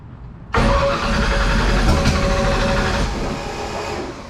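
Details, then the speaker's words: Drag-racing wagon idling cold, header flanges slightly warped: loud raspy puffing over the idle rising with throttle; exhaust header gasket leak, probably the worst ever heard. "And listen to this ex This is probably the most blown out exhaust header gasket I have ever heard in my life."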